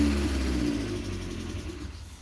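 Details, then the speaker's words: MG TF after welding work, fuel pump heard priming: engine fires and runs, revs fine, then cuts out after almost exactly a couple of seconds; stalls soon after starting, cause unknown. "Number one, the thing won't run. The strange thing about it is that it fires up fine, it runs fine for those few seconds. You can rev the engine, it'll rev out and all that, but then after almost an exact amount of time, a couple of seconds, it cuts out."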